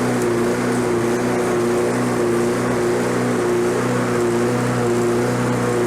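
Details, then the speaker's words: Lawn-Boy self-propelled walk-behind mower, roadside find: steady high-pitched unloaded drone, pitch sitting high; over-revving. "it sounds like it's over revving a little bit so i bent that arm to bring the rpms down a little bit"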